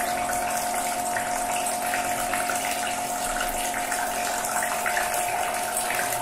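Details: Narpump rechargeable water-jug pump running during a noise test: a steady mid-pitched electric hum with water gurgling, even throughout. Normal operation, though noted as fairly loud in quiet night settings.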